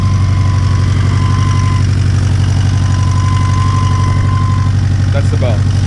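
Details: Turbo Honda S2000 with stock internals, just after an intake manifold install, warm idle: a light, quick rattle about four a second, seemingly top end; owner suspects the tensioner and plans to swap it, not confirmed.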